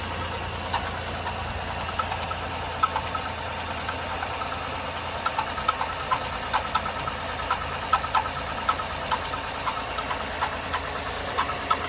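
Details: 2011 Acura TL 3.7 SH-AWD at cold idle: light, sharp irregular top-end ticks about twice a second, tapping less prevalent once driven up to temperature; started a few days ago, dealership could not determine the cause.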